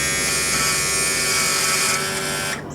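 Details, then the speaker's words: 1999 Champion bass boat, Mercury 200 EFI outboard, sat for years: power tilt and trim pump trimming up, steady high electric whine with fine buzz, hydraulic fluid audible in line, suspected low on fluid; tilt and trim pump running. "so hear that where you hear the plane i mean you can almost hear the hydraulic fluid pushing through the line"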